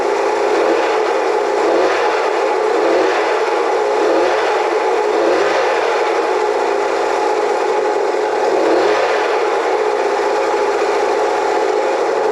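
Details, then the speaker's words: Honda CL175 single after muffler replacement: ticks over evenly with a steady, smooth exhaust note and no puffing or hiss, no discernible exhaust leaks at the joints; normal running. "Well, that sounds much better. And I don't have any discernable exhaust leaks around the Ojints."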